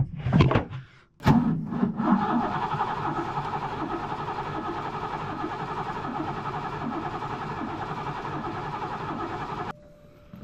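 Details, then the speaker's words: Ford Fox-body left sitting 10 years, with the fuel pump running constantly and spark confirmed. The starter churns steadily for about eight seconds but the engine never fires; the owner suspects the injectors aren't working. "I bet you, guys, it's these injectors. I bet you they're not doing their thing."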